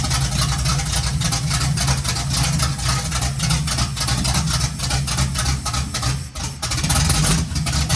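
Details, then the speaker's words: 1951 GMC cab-over truck first start, no fuel to the carburetor yet, running only on sprayed starting fluid: uneven, lumpy low rumble with ragged firing; timing is off, possibly a bit retarded, might need more timing. "Just run her off the spray foam. Might need a little more timing."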